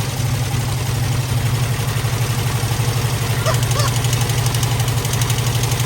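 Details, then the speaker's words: Squarebody Chevy at idle: a light, quick rattle over the drone, heard on the other bank one cylinder back from the first. An exhaust valve is sticking, the same fault found earlier. "So upon further review, this is what it was doing on the other side."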